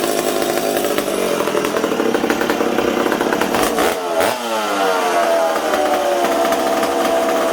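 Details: McCulloch Super Pro 70 chainsaw running on the bench in a warm shop: erratic surging idle that hunts up and down instead of holding steady; owner suspects an intake leak or leaking decomp valve, not confirmed.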